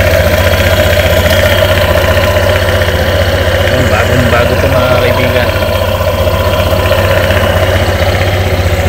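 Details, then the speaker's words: Honda Airblade 160 with only 26 km on it, idling with a newly installed JVT racing pulley, checked for anything hitting: a steady, even putter and smooth low thrum, no scraping or rubbing; nothing hits, normal idle. "Sige pa, i-startin natin. Yun, ito na. Tingnan natin kung may tatamaan. Wala naman tinamaan."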